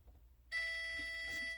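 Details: Whirlpool Duet dryer in test mode (more time/less time entered twice), owner's clothes still wet on automatic: single steady high beep of about a second as the two conductivity sensor bars are bridged; moisture sensor working.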